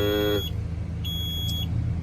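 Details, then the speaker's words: Junkyard garbage truck, batteries below 10 V being charged from another truck for ~15 minutes: steady high dash buzzer in short repeated tones over low diesel hum, low-voltage warning, though transmission computer now powers up. "voltage is still too low it's it's finally done enough power in it to run the transmission computer and everything because that light's not flickering"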